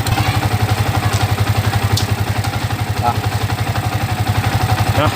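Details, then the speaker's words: Yamaha Vixion motorcycle after repair: steady even idle thump, top-end clatter gone; earlier rough noisy head sound persisted despite replaced cam chain and tensioner, fixed after tightening a hose (selang) suspected of leaking. "ini bunyinya sudah sangat hilang ya teman-teman ya. Hore, hore, berhasil. Ini berhasil ya teman-teman ya. Karena tadinya bunyinya sangat berisik di sini."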